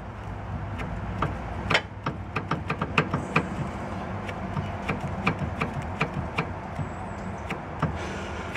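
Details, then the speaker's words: 2003 Honda Element with a vibration when accelerating: loose, irregular knocks and rattles as the sway bar link is shaken by hand, excessive play; this link is totally shot and a main source of the clunking. Worn sway bar link. "yeah this one's totally shot oh you can see I just grabbed with my hand so that's where a lot of my clunking is coming from"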